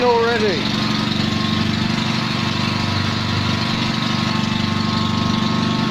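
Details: Invacar twin on axle stands after 14 years in a field, idling after an easy-start assist: uneven chuffing beat that sounds like one cylinder because the exhaust is blowing; exhaust leak.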